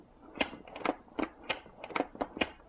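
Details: Saitek Cessna flight-sim yoke, pulled and twisted in a quiet room: sharp irregular plastic clicks, a few per second; one unit clicks turning counterclockwise, a second unit clicks turning clockwise; unclear whether normal or a defect.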